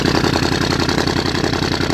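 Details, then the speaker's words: 2013 Audi S7, 42,000 miles, salvage auction car at startup; very loud raspy idle with fast unmuffled pulses through essentially straight exhaust, turbo gone bad and smoking. "The exhaust is pretty much straight exhaust at this point. Very, very, very loud."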